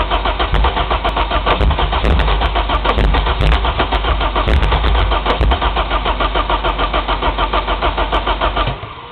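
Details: Nissan S14 cranking steadily with occasional weak splatting sputters that never catch; plugs wet with fuel and carbon after 30 seconds; flywheel sensors, fuel lines, charged battery, plug wires, cap and rotor verified; spark and fuel present but won't start.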